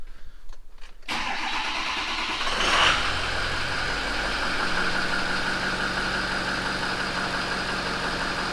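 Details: 6.0 diesel truck just after an alternator replacement, battery at 11.6 V: short crank, fires promptly, revs briefly, then settles to a steady, even idle, charging near 14 V; normal start and idle.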